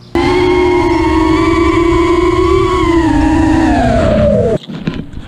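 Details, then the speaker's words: Quad with T-Motor F80 2500kv motors that kept destroying ESCs: steady high motor tone with a wavering, pulsing pitch that sags before cutting off; owner suspects an unbalanced prop or a bad motor bearing, and changing motor timing didn't fix it. "I put down Cyclones on here before and uh it was making this weird like pulse noise"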